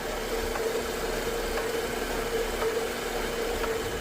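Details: BMW X5 N55 with Valvetronic fault code 002E0F: uneven rough idle with faint tone and soft knocks about once a second, heard before a Valvetronic relearn; cause suspected, not confirmed.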